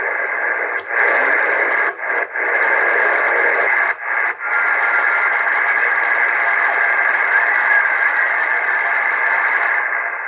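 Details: Cobra 148 GTL CB radio, no fault, with no band propagation: steady open-channel hiss with short dropouts as it steps through channels while tuning; normal reception and tuning.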